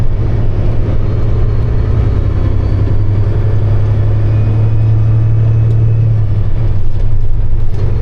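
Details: Kenworth truck while driving, windows closed; a steady low droning whine over road rumble for about six seconds, then fades; whine only occurs while driving, dyno testing failed to locate its source.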